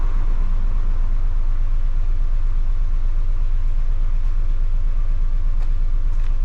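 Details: Audi 1.8T at idle on a track day, rough idle with a heavy low throb pulsing about three times a second, slightly uneven; DTC 17743 cut power and forced hard limp mode until ignition off.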